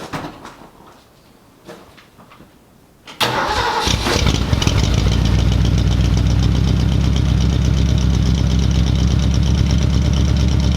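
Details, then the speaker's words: Ford Mustang V8 with a 351 cam, after firing order corrected to high-output order, possibly weak battery: one short crank, catches at once and settles into a steady, even idle; runs great, rockers still need adjusting. "Guys, it fired right up. Literally one bump. Perfect. Guys, the engine's running great."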